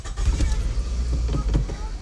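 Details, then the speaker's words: 2008 Scion tC idling very rough with lumpy stumbles, one cylinder dropping out; scan tool shows cylinder 2 misfire code. "it's running really rough I don't know if you can tell anyhow"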